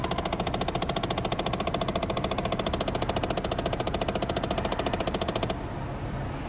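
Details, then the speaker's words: 2012 Dodge Challenger: rapid, even clicking from behind the dash over fan hum from a failing temperature blend door actuator that wouldn't stop clicking; actuator replaced. "so here we got a 2012 Challenger and the customer says that it's making a bad noise from behind the dash from the blend door actuator so let's see what happens here there we go"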